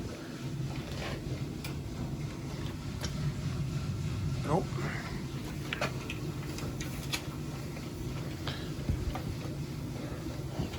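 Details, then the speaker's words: Weil-McLain CGA6 atmospheric gas-fired boiler with indirect-fired water heater, no-hot-water service call: steady low hum under faint room noise as one circulator pump runs noisily. Pressure gauge bouncing; pressure problem or bad gauge suspected, cause unknown. "we have circulation I have a little bit of a one of the circulators I think is making some noise"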